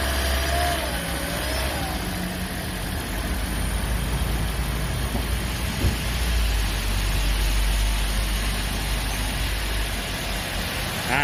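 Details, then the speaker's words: 2010 Toyota Prius hybrid that came in shaking, sluggish with codes P0352-P0354, after ignition coil repair: low, steady, even idle with no stumble or shake, running smoothly on all cylinders. "วันนี้นะเครื่องยนต์ได้เดินนิ่งปกติแล้วนะต่างจากตอนแรกที่มานะครับโหเครื่องเขย่าเกรงทั้ง"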